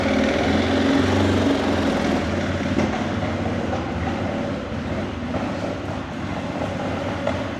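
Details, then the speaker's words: 2006 Arctic Cat 400 ATV, bought because the carburetor needs cleaning and it idles high; lumpy, uneven idle that stumbles and sags, then dies. Running rough and lean; owner calls it typical of a partly clogged jet. "you see, it's run running a little bit rough. There it died. That's a typical sound of one of the jets being partially clogged."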